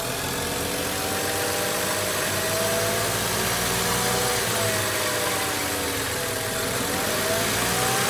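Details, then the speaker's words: BMW E92 335i, N55 engine, idling before valve cover/gasket replacement: thin wavering squeal drifting slightly in pitch over steady idle; owner believes the PCV system is the cause, not confirmed. "Just because I have a weird certain squealing noise that we'll actually put a clip in of that happening."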